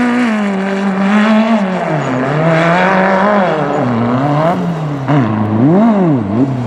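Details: Magnum super buggy race car with a new carburetor, at the speedway after a leaking fuel line was fixed: revs rise and fall unevenly with a stumble partway up; a bottom-end/mid-range flat spot that persists, cause not found.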